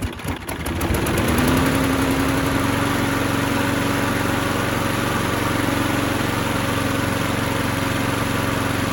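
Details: Craftsman mower that popped and wouldn't start, after flywheel key and cheap replacement carburetor fitted: settles into smooth even run with steady hum, no misses or pops; runs healthy.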